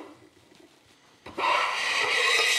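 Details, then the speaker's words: Hand plane on waxed soft black spruce, blade advanced then retracted for a thinner shaving: after a pause, one harsh buzzy rasping stroke, chatter from the vibrating blade. "that's essentially vibration of the blade i'm retracting the blade each time just trying to get a little thinner shaving"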